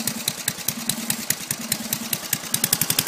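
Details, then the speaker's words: Old abandoned lawnmower, revived with no money spent except a new exhaust pipe: slow, even popping at a very low idle, each firing stroke distinct and steady; running cleanly. "We got it running really good now. Yeah. Ready? Oh, hang on. No. Yep, go ahead. Can you believe? Look at how low that idles."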